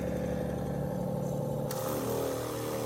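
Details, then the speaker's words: Advance Aquaclean 15 HD walk-behind carpet extractor, tested with 2 lines replaced: steady motor drone with an even hiss as the pump sprays water normally, no surging or rattles; pump spraying just as it's supposed to. "And you can see down there, folks, that's definitely spraying water out of there, just like it's supposed to. And that looks good."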